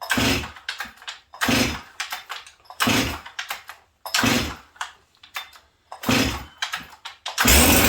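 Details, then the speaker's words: Stihl 044 chainsaw, carb kit fitted, metering lever checked, runs super rich despite leaning, strong compression, once a two-pull starter; six sputtering pulls over eight seconds before a brief flare; hard starting, cause unknown. "And then it became a hard starter. And again, friends, this thing, it's got all kinds of compression. I don't even know if this thing will start."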